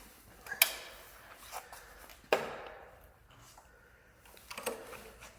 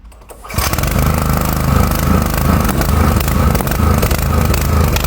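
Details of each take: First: Four-stroke petrol generator that had been stalling and firing into the exhaust, after a carburetor wash, blowing out the jets, draining the sediment bowl and refitting the filter and restrictor washer. It fires after a few pulls and settles into a steady, even drone with no popping: repaired, running normally. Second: Four-stroke petrol generator that runs badly and stalls: it runs loud and uneven with irregular sharp pops into the exhaust. Valves or very late ignition are suspected.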